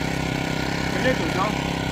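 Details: Four-stroke grass trimmer after Bullsone Shot mixed into gasoline; starts on first try with choke and settles into a quick, even putter with no misses; normal idle.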